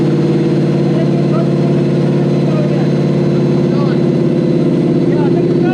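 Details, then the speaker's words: Toyota/Lexus V8 newly rewired to a Link Monsoon ECU: steady, even idle with a smooth, unbroken rumble, no knocks or stumbles; after the rewire it now runs like it should. "Sounds good though. Yeah. Vroom vroom. It now runs like it should."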